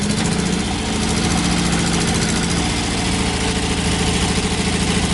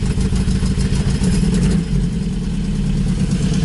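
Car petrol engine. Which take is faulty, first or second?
first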